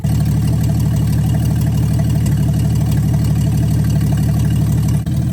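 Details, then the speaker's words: 1963 Plymouth Valiant slant six, cold idle after carburetor reinstall, no choke stove, coolant very low: steady even low idle thrum about two beats a second, no misses or stumbles; idling smoothly and happily. "I can't run it all day. The coolant's super low, but I can't help but notice it sounds pretty happy."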